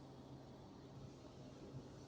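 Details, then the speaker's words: Hyundai Aura with the engine light on, idling: a low rumble with an uneven beat and occasional soft stumble; scan tool live data shows misfire counts on cylinder 4 and a cylinder 4 misfire DTC; plug or coil suspected. "दोस्तों, आप देख सकते हो कि यह जो हमारा cylinder number four है, उसके अंदर यह काउंट में प्रॉब्लम है। ठीक है? तो उसकी वजह से ये प्रॉब्लम हो रहा है।"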